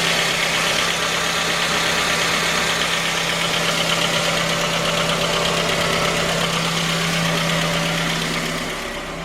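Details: J20A engine (2010), cold idle: steady knock, a little under three per second, over the engine note. Began at 10,000 km and worsened after oil changes; dealer checks were normal. Found a scored crankshaft journal on cylinder 3, blamed on non-recommended oil; short block replaced.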